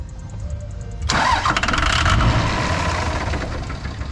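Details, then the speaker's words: 2003-2007 5.9 Cummins diesel after fuel injector replacement, key on with a fast lift pump: cranking, then a sudden loud catch as it fires and runs rough briefly on brake cleaner left in the cleaned injector bores. "okay so you see what happened there was there was a little bit of brake cleaning whatever from when we sprayed it out so it instantly started running it's burnt that off so now we can continue to crank"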